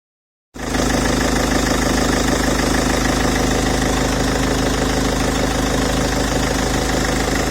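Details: Peugeot 407 2.0 HDi diesel at idle: steady, fairly regular knock about 220 a minute over the clatter, a strange engine noise of unclear source needing further checking.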